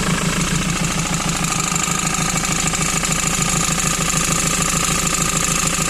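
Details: 2008 Ford Transit Mk7 2.4 Puma diesel at idle: regular knock about three per second over the diesel clatter. Found to be a worn crankshaft pulley; a bad alternator pulley likely ruined it.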